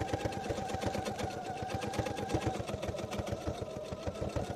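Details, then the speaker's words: Sewing machine free-motion stitching with feed dogs dropped and a darning foot, denim needle, polyester thread; fast, even needle clatter with a hard, rattly edge, the machine running noisier than usual. "machine's been particularly noisy today, as you can hear."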